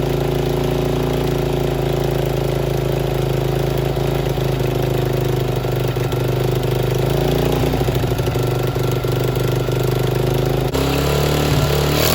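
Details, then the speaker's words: 50cc Chinese mini ATV revived with a replacement throttle cable, leaking fuel: small single-cylinder buzz at a steady idle with an uneven, wavering beat and a pitch drop near the end; runs rough. "alright so we got this thing running it doesn't run the greatest but we'll tackle that later"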